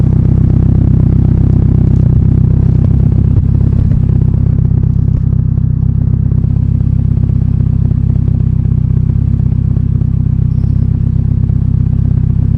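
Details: AWD Honda Accord after rear coilover adjustment, on drive: loud steady low engine drone, even, no knocks or misfires; normal engine running.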